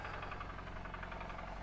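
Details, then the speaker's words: Jaguar XF supercharged at idle: a sharp, regular tapping over the idle at engine speed, a definite bottom-end style knock; a rod problem is suspected but unconfirmed, and it's judged a deal breaker. "I'll open the trunk and that knock holy crap dead got it yeah this is not good that's a definite knot"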